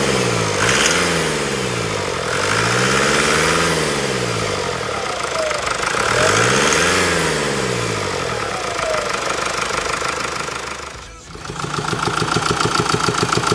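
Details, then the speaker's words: Mercedes diesel after repair of worn cam follower/roller and damaged exhaust camshaft: steady idle clatter, the earlier light rhythmic top-end tick gone, even healthy idle; no warning lights before or after. "자 수리가 완료됐습니다 소리 한번 들어 보셨어요 제가 볼 땐 소리가 없어졌다고 판단이 됩니다"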